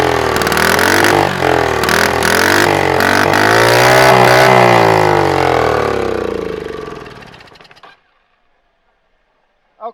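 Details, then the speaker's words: Scooter-engine reverse trike, sitting for years after a crash, on a block: hand-choked start catches and runs high and fast well above idle, then cuts out; too much throttle, almost wide open, owner suspects something rusted up. "that is Just a Touch Too Much throttle a little bit more than what I want to uh uh have to work on it it's kind of uh almost like it's wide open or something"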